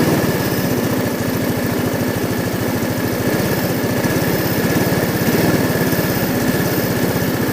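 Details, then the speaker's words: Orbit scooter with 139 engine, 62,850 km, after carburetor work for stalling after warm-up or braking: even, quick, steady single-cylinder idle with no stumbling; revs may dip while warming up, which owner calls normal; normal idle. "інколи обороти тіпа на прогріві падають Як на мотоциклі це норма ми просто підгазовуємо"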